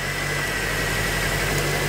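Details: 2005 Honda Element with manual transmission idles steadily with a low, uneven pulsing shake; misfire on one cylinder that has lost compression; swapping the coil packs did not move it, so not a coil fault.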